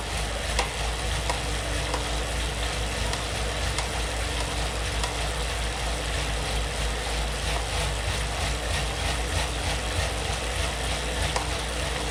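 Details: Elite Suito trainer, under hard pedaling at about 300–400 W and 100–110 rpm: a steady rushing flywheel whir with sharp, irregular intermittent knocks about every second; cause not identified.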